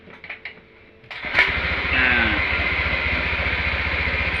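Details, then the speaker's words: Honda Vario 150 that died and wouldn't start with no fuel pump hum and a drained battery, kick-started: a couple of kicks, then catches and settles into a steady even idle; runs normally again. "sudah kembali menyala sehingga bisa menggunakan motornya lagi"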